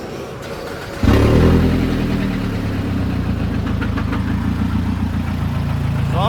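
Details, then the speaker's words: Scion tC after starter replacement, restarted with extra oil added: fires up into rough idle with uneven repeating metallic knock about three per second, like metal thrown around the engine; engine knock, cause suspected not confirmed. "It sounded like there was something like it sounded like something metal was like being [ __ ] thrown around the engine."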